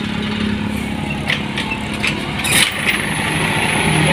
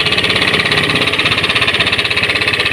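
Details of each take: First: Honda Scoopy scooter after the crankshaft bearing was replaced for a rough engine noise: a fairly smooth, even idle with no rumble or grinding from the bottom end. The earlier noise is gone and the engine runs normally. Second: Honda Scoopy scooter engine idling with a harsh, rough sound, a fast steady knocking pulse and rattly top end; diagnosed as a worn crankshaft bearing, to be replaced.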